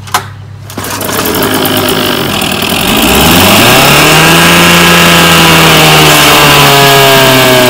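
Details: 1967 Evinrude 3 hp outboard, model 3706C, compression 50-55 and spark on both sides, had to be run with the choke held out. After cleaning the dirty carburetor jets it pull-starts and climbs to a steady, even two-stroke buzz unchoked: normal running.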